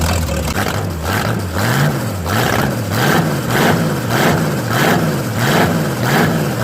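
Low, even lope pulsing about one and a half times a second, no knocks or rattles; old V8 idling fine.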